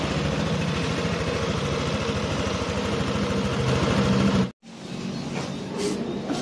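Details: First-generation Yamaha NMAX scooter idling with a coarse, uneven chugging pulse before being switched off; the engine runs rough, cause not yet found.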